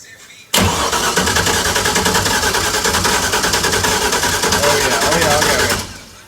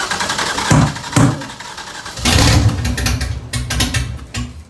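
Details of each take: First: LS V8-swapped FRS cranking steadily for about five seconds without firing. Cylinders flooded. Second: LS V8 swapped into an FRS, restarted after flooding, with the coil packs on one side reconnected after earlier running on four cylinders. It cranks and catches with sharp bursts, then settles into a fuller, even rumble on all cylinders, with oil smoking on the exhaust.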